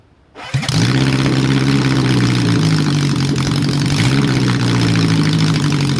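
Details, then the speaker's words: Honda CB750 four-cylinder, cold, without its exhaust and airbox fitted and mixtures not yet set, after it previously would not start: runs on all cylinders, but the revs hang and drop slowly to idle. A vacuum leak is suspected, not confirmed. "Sounds like it's got a vacuum leak there, so it's sort of taking a long time to come down, but I'm not going to do the mixtures yet."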